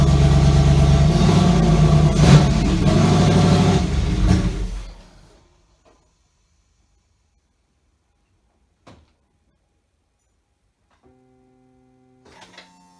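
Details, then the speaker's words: Chevy Avalanche with LQ4 6.0L V8 swap at first start, no muffler: loud open-exhaust roar for seconds then dies; engine repeatedly stalled after 10-15 seconds, owner first suspected crank sensor, battery dead. "I ran into a little bit of an issue where it would start up for maybe 10 15 seconds and then it would just shut itself off and it would keep doing that over and over again"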